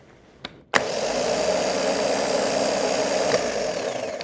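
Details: Starter being cranked during a positive-side voltage-drop test, with the drop reading about 0.1–0.2 V: a steady, even whir for over three seconds with no grinding or dropouts. Healthy starter cranking.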